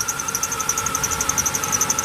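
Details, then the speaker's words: 1998 Chevy Silverado (Vortec) at idle: a thin high chirp repeating several times a second after the belt area was cleaned and sprayed with cleaner; owner suspects the tensioner or idler pulley. "got a little bit of a squeak here we uh cleaned up sprayed some cleaner on everything got it cleaned up so it may be that tensioner or that idler"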